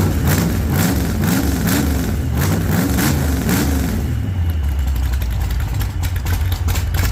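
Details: 1948 Chevy Fleetline small-block V8 (4-speed), just started after sitting a while, after heavy throttle pumping: rumble swings up and down with throttle blips, then settles to a steady, even idle. Running fine.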